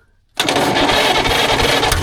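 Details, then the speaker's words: 1940s Caterpillar D8 dozer's engine, unused for decades: after brief silence it catches at once with busy, even popping and no misses, running on starting fluid only; spark and contactor confirmed working on both cylinders, fuel not yet supplied. "She's got the sparkage. [laughter] And I know that our contacttor stayed in there because I heard it hit on both cylinders, not just one."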